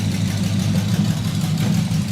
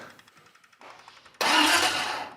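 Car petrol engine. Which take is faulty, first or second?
second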